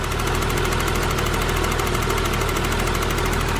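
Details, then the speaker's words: 1982 BMW 633CSi E24 with M30 petrol inline-six, about 90k miles, last valve adjustment in the 1990s so probably due again: smooth, quiet, even idle with a light, quick valve tapping on top, much quieter than higher-mileage M30s; normal idle. "like happily tapping away all my other cars the valves were much louder it's it you can tell it's the mileage it is because how smooth and quiet and just happy the motor is"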